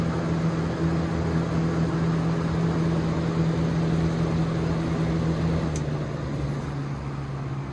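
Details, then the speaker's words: Lasko/Galaxy 3713 box fan after motor cleaning, oiling and bearing realignment, test run on high: steady low hum, smooth airy rush, no rattles, scrapes or wobble. Normal fan running. "This fan is very quiet on low, and it has really pretty good performance, in my opinion."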